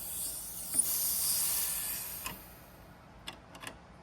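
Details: Robinair 134Z refrigerant recovery machine during compressor diagnosis: thin high hiss for about two seconds, fading, then light clicks, as leftover Freon escapes from a fitting loosened with pliers while removing the filter dryer, because the compressor couldn't pull it out.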